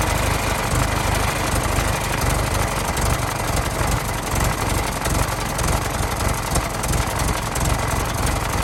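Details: 1916 Federal Motors truck, 107-year-old four-cylinder that was seized and sat 50+ years, bottle-fed fuel, rusty radiator being filled with water; low, fairly even chugging idle with no misses or knocks, runs real good: normal idle.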